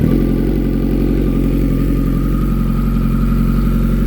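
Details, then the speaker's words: Kawasaki ZX14R just after a Quantum fuel pump upgrade and fuel filter replacement, primed and started. Steady, even four-cylinder burble with no misses, knocks or surging. A smooth, clean idle. "So I'm gonna go ahead and do a start. I'm gonna actually take a ride. I probably won't vlog that, but gonna go ahead, make sure everything's straight, primed, fire it up."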